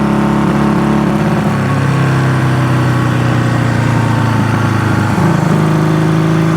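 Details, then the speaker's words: Honda CB200T twin on its first ride after camshaft and valve replacement: it revs and falls back but stumbles and sags under throttle, thought to be carburetor breakup, while the transmission works and the engine sounds good. Carburetor breakup under revving. "yeah the it's breaking up here transmission's working and the engine sounds good"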